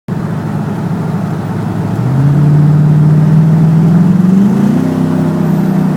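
Engine idles then revs with an uneven, stumbling beat and irregular pulses in the exhaust note, consistent with a misfire.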